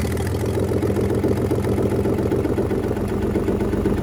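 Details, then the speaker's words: Inboard/outboard boat engine, primed, spark plug wires just fitted, no exhaust manifold: loud raw barking idle with rapid uneven popping about three to four per second; runs fine, open exhaust ports. "hopefully we'll hear some plucka plucker pluck pluck up cuz it's going to be very loud because it doesn't have an exhaust manifold"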